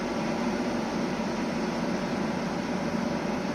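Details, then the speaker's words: Samsung 9000 on/off home air conditioner (2009) after replacing the burnt capacitor: compressor starts and runs with a steady, even hum and hiss, no knocking, return pipe cooling and frosting; normal compressor running. "și, de asemenea, de la zgomotul pe care îl auzi precum compresorul Tocmai a pornit, a pornit, comprimă gazul"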